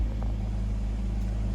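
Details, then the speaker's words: 2000 BMW 328Ci after replacing cracked hoses: steady, smooth, slightly fast idle at about 1000 rpm with no hunting or knocking; idle more stable but the high idle's cause is unknown, ABS and traction lights on. "but it seems like it's more stable i'm not sure why it's at 1000 rpm if you know comment below"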